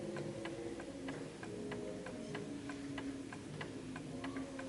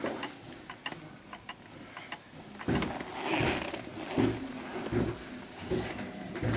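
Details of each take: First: Garrard 1930s Art Deco oak mantel clock with an 8-day pendulum movement and gong strike, pendulum just adjusted for its surface: crisp, evenly spaced ticks about three a second in a quiet room, no limping rhythm; the clock is in beat. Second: 1930s Garrard Art Deco oak mantel clock, 8-day pendulum movement, pushed slightly off level: soft, uneven ticks about once a second instead of even tick-tock; out of beat and stops.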